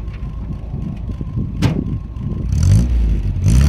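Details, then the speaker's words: Nissan 1400 bakkie revving with a new exhaust fitted; a loose crankshaft pulley that had caused a diesel-like rattle was found and fixed. Two quick clean revs settling back, even exhaust note, no rattle or knock; normal revving. "I'm just going to do some flybys and some ribs so you can hear what the new exhaust sounds like"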